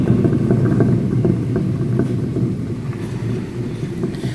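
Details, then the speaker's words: Fiat Strada rear wheel hub spun slowly by hand off the ground gives a rough, gravelly rumble with faint clicks and play from a badly worn hub bearing, even with no vehicle weight. "Então, moçada, como eu estava comentando, está só o peso do, sem peso algum, somente uma velocidade exercida pela mão do menino chinês, e já faz esse barulho todo, esse ronco absurdo e essa folga."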